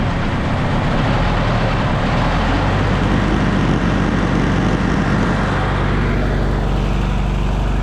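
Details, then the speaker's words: Newly bought project car after gasket work and reassembly; fast steady idle then tone eases lower; blocking the idle air control valve hole with a finger brings it to normal idle; faulty idle air control valve needs replacing. "okay so let's set down to two that's a lot lower than it's ever idled before but you notice when i put my hole my finger in the hole for the idle air control valve it goes down even lower"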